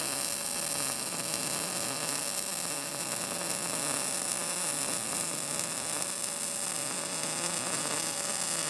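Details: Arccaptain MIG200 inverter MIG welder at 19 V, synergic mode setting amperage and wire speed automatically, drag technique; steady, even crackling hiss with no pops or sputtering; result judged not bad.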